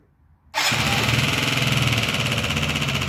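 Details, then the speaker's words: Yamaha Jog scooter engine at first start after rebuild, idling with a fast buzzy note and rough knock about four beats a second; valve clearances 0.10–0.12 mm; owner suspects worn connecting rod, unconfirmed. "На мою думку що це всього скоріше що колінвал стукає не колінвал а шатун сам має вже виробітку"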